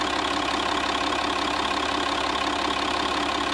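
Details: Citroën C6 with a scrapyard UHZ DT17TED4 diesel, newly installed and car raised: steady idle with a faint regular tick, roughly three a second, over the clatter, subtle knocking in the injection; a sticking injector suspected, unconfirmed.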